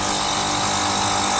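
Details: Newly installed Prestcold condensing unit replacing an undersized broken one, with a new 7.5 hp-rated contactor on a roughly 5 hp unit; steady compressor and fan hum with an even hiss, no rattles; amperage about the same, heat building, needs more gas; normal running.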